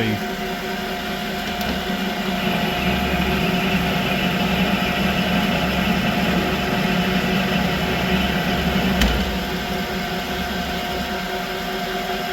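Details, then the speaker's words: Creworks 8x16 lathe after carriage play was adjusted out, cutting on auto feed: a steady motor hum with an even cutting hiss and no chatter. There is slight flex from long tool stick-out, but it is more rigid than before. "so there is a little Flex in it but it cut pretty good like that this is a lot more rigid than what it was before"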